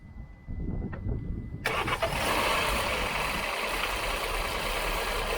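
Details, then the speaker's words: Stone-cold start, out of gear: engine cranks briefly, catches and settles into a busy idle with a faint uneven tapping; still abnormal, earlier suspected water pump or timing chain, cause not confirmed. "Yeah. Yeah, there's still something there, isn't there?"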